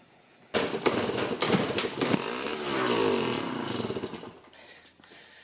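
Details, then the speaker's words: Yamaha QT50 moped (possibly 78 or 80), has compression, muffler bolts loosened and breather box off because a blocked muffler was suspected: kicked over, a few ragged pops and a brief uneven burst that dies away; sputters weakly, barely starts. "Whew. There's a little bit of life in her. Not much, but a little bit."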